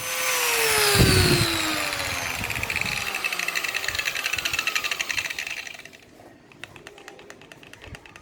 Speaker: gerinda kalau udah oglek bunyinya kayak gini nih aduh Aduh ngeri banget koplak dipegang-pegang